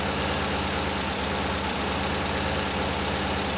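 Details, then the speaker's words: 1968 VW Type 3 with freshly installed 1835cc air-cooled engine, warming up: steady, even low idle with a smooth, unbroken beat and no knocks or misses; sounds healthy, normal idle. "But it sounds damn good. I'll be back with whatever I decide to do."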